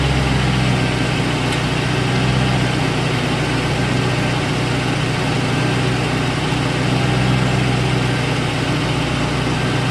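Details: 2001 Lincoln Town Car, Ford 4.6L 2-valve V8 at idle: busy clattery metallic chatter. Cause was worn timing chain guides; the chain wore through the plastic and aluminum into the tensioner piston. Fixed by replacing the guides and tensioner, plus valve stem seals.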